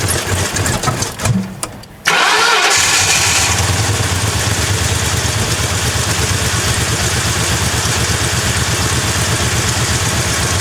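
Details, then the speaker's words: Crown Victoria drift car: it cranks and fires, then settles into an uneven, lumpy idle with irregular pulses. It runs badly and the cause is not yet found; it later ran okay after Seafoam. "so we've got to keep looking and figuring out what is the deal why is it running like that all right we started up you hurt it runs like [ __ ]"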